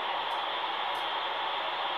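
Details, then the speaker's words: Modified RadioShack TRC-1014 radio: constant loud hiss with no signal or voice breaking through, noise picked up on every band; interference noise, source unknown. "I just picked up some noise from somewhere on every single every single band. I don't know what's going on here exactly, but it's a bit odd."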